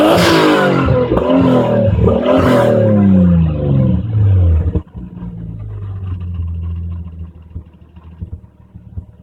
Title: No more exhaust leak!